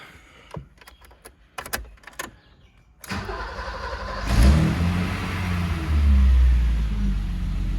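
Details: 1986 BMW E30 325e with the M20B27 interference engine, first start after a timing belt replacement and suspension refresh: a few clicks, then it cranks, catches within a second, flares up and settles into a smooth, steady idle. A healthy start.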